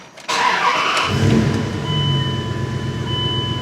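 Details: 2000 Dodge Ram 1500 5.9L V8 cranks in a steady droning whirr but never catches or runs; no active or stored codes, earlier shop failed to fix it; cranks but won't start, cause not confirmed.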